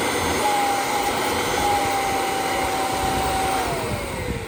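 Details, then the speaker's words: Kirby G5 vacuum cleaner test run after replacing the fan impeller: smooth steady high whine at even pitch, sliding down as it switches off; working beautifully. "And then it was time for the test run. And as you can see, that is working beautifully."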